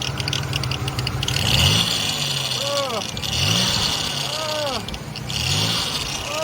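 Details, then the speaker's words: Salvage Cadillac Cimarron 2.8 at idle: constant high hissing whine growing louder, power steering pump pulley suspected (separate reservoir), later judged by ear to be the pump; accessory drive whine. "definitely got a bad pulley i think it's the uh that power's staring out the reservoir is separate i mean listen to how bad it gets"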